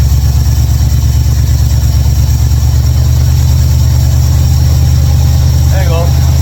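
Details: 1955 Chevrolet Bel Air, carbureted, ignition bypassed, after opening the closed air valves that caused stalling and cleaning the carburetor squirters; smooth, settled idle with constant deep rumble, no hunting or popping.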